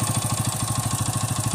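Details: Hero Splendor iSmart 110 single after repair of engine noise from the self-starter one-way clutch, starter part removed; even steady idle pulsing about ten beats a second, no knocks, rattles or clatter, noise gone, healthy.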